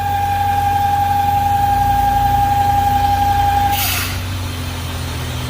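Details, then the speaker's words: 1998 BMW V8 idling at operating temperature, steady high whistle that stops with a short hiss when the oil filler cap is released; crankcase overpressure from a faulty PCV valve. "he liberado el el tapón Ahora yo lo pongo una vez que coja presión el sonido vuelve el sonido se quita y podemos escuchar la sobrepresión que hay volvemos a poner el tapón y el sonido vuelve"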